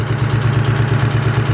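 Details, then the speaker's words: Mustang SVT Cobra engine first start after reassembly; quick even ticking about seven per second over steady idle from the top end only, lifter tap, possibly lifters not priming. "We think it might be some type of lifter tab. Well, it is a lifter tab. It's on the top end only, but we don't know if it's because it the lifters aren't priming or what."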